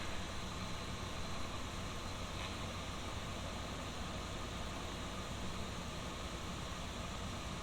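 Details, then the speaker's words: 2011 Dodge Ram 1500 after replacing two HVAC blend door actuators: engine idling with steady, even airflow rush for eight seconds, no clicking; blend doors now quiet. "no more clicking from the blind door actuators at least not for a few more months until they get messed up again"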